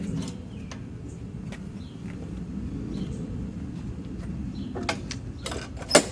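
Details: MTD Pro mower with Honda GCV160 engine after repairs including choke adjustment, reassembled for a final test: small single-cylinder engine holds a steady, even low drone with no surging or stumbling; runs smoothly and healthy.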